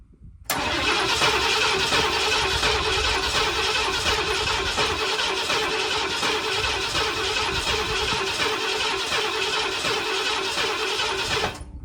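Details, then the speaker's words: 1979 Ford F250 that sat roughly 6 to 23 years, first start attempt on stale gas: eleven seconds of steady starter churning at about three beats a second, with no pops or catch; cranks but doesn't start, cause unconfirmed. "Okay, let's see if we get any kind of popping. Anything at all."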